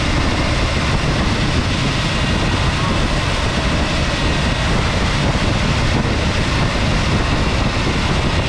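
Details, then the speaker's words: 1967 or 1968 Ford F100 at its first start in about 10 years, just after carburetor adjustment; the timing had seemed off earlier and it puts out a little smoke. Steady, even V8 idle with a full, low rumble and no misses; it runs well. "that truck's running pretty good sounds good is it smoking after 10"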